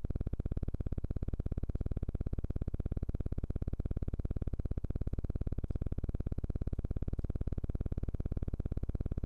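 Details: Studio Projects VTB1 tube mic preamp with a low, rapid, evenly chopping helicopter-like buzz that begins after 5–15 minutes of use and stops when the unit is shut down; microphones direct to the interface are clean.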